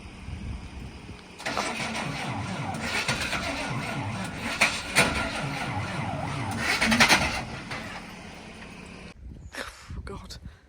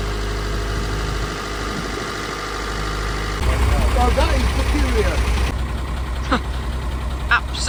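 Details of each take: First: Truck cranking in the rain: starter turns engine over at steady, slightly uneven pace for several seconds without catching; owner assumes flat battery, plans jump start. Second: Truck that wouldn't start, presumed flat battery: a deep, steady, even idle rumble with no knock or miss. It is now running normally; the cause of the no-start is unknown.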